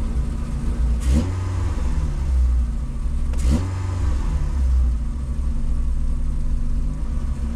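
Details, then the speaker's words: VW Golf 2 with carburettor, owner blames the carb, choke partly on: two quick revs, then the low idle drones and wavers, sagging and recovering; cause unclear. "vu regarde là elle commence là j'accélère elle descend un peu elle remonte regarde tu vois le volur il tremble elle est en sousrégime"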